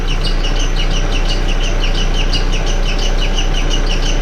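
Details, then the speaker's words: MK4 VW Golf at idle with the accessory belt removed and the timing cover off: a sharp chirping squeak about three times a second, matching cam gear rotation. Owner suspects the timing belt components; cause not confirmed. "but i really can't tell where it's coming from but if you look closely the frequency of the squeak matches the frequency of the rotation of the cam gear"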